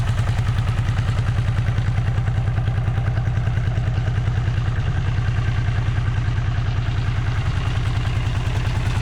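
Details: Vintage Honda GL500/CX500 twin, just rebuilt and at fast idle before its test ride: a steady low thump with brief hiccups. It stutters and is hard to start, cause unknown; owner hopes it will run out.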